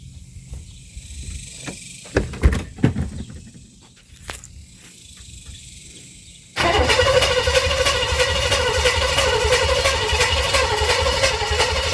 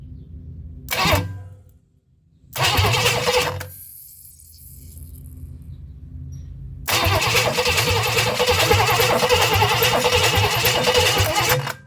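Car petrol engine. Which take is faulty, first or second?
first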